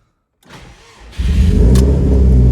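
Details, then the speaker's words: Subaru WRX STI with cams, sitting about 5–6 years, fuel type unknown: brief starter whirr, catches instantly, settles into steady smooth idle with no knocks or misfires. "Look at that. Right up. I've never seen a car start up so fast after it's been sitting for so long. Man, it actually sounds super super smooth."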